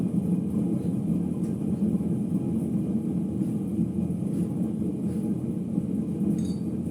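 Steady deep rumble with a rough grinding edge as the drum turns after the spin, typical of worn drum bearings.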